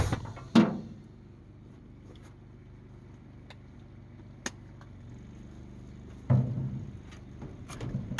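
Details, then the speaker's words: Abandoned 1948 Ford F5 bus just restarted after sitting 25 years: low, steady idle hum with a few sharp knocks and bangs over it; carburetor rebuild and full overhaul planned. "All right, guys, she's running. Okay, be honest. Who was doubting me? I told you I'd get it to start."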